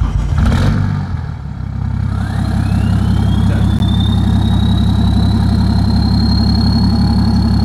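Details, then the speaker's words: Remapped BMW 535d E60 diesel at idle: high whistle rises then holds steady over loud even diesel idle, heard more at idle than accelerating; normal turbo whistle. "Là, ce qu'on entend là, c'est le turbo. Voilà, c'est une turbo."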